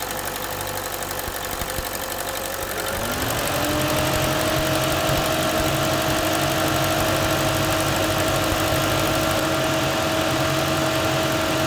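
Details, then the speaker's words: Chevy Cruze with P1101 and poor idle, cold start after cleaning the mass airflow sensor and resetting the computer: catches, revs climb briefly, then settles into a smooth, even idle with no stumbling; healthy. "all right I had to reset the computer because I took the sensor off with everything but this is that cold start as you can see this island very nicely here"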